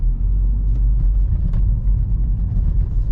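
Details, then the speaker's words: BMW 123d (N47, 204 hp) on the road at cruise after rear differential bearing replacement: only steady low road rumble, no whine or growl rising with speed; the differential now runs quiet. "Plus de bruit. Ah, il n'y a plus un seul bruit, plus rien. Encore une de sauvée."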